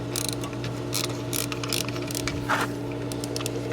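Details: Hayward propane pool heater on start-up: steady low hum broken by irregular harsh grinding, ratcheting bursts about every half second; inducer motor ruled out, progressed to no-fire over two weeks; traced to failing gas valve, replaced.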